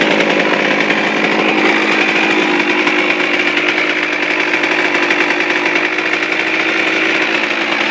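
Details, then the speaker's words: Suzuki RM125 two-stroke, first start from cold after complete engine rebuild, carb at factory stock settings (air screw 1.5 turns out): crisp buzzy steady idle, slightly high, clean and even with no rattles or misfires; normal idle. "all wow perfect it's perfect um yeah that's pretty good um i don't need just to do a little bit it's a little bit high but that's good enough for me"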